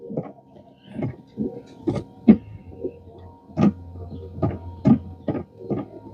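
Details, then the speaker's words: 2016 Equinox, newly fitted Chinese replacement wiper motor: uneven groaning clunks about every second over a low steady hum, following the motor's sweeps. The new wiper motor itself is noisy. "sounds Chinese is that just a motor making that noise"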